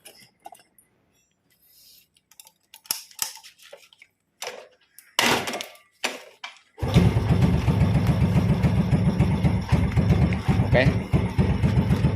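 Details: Yamaha Vega/Jupiter Z carburetted motorcycle after carburetor and jet cleaning, air screw still at standard setting: after tool clinks the engine fires and settles into a slow, even idle with steady low pulses; running smoothly.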